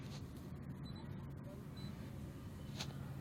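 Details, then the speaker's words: Maruti Suzuki Swift (K-series) at idle with check engine light on and low rpm, sometimes stalls, steering shaking: low, uneven rumble with faint stumbling beat; misfire traced to broken MAP sensor wire. "जैसा कि देख सकते हैं स्टीयरिंग भी हिल रहा है, गाड़ी मिसिंग कर रही है, रीड फॉल्ट कोड।"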